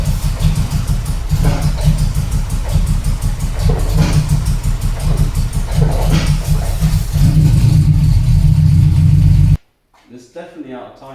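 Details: TVR 290 S first start on MS2 engine management with a TFI black CCD module: lumpy, uneven firing with an irregular beat and stumbling revs before it cuts out; the engine is running well out of time.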